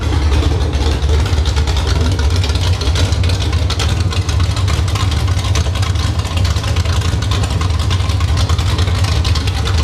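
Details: Summit Racing 1107-cammed 305 small-block Chevy on test stand, idle tuned to about 750–800 rpm; loud, lumpy, choppy idle with a deep steady pulse barking through open headers; normal cammed idle.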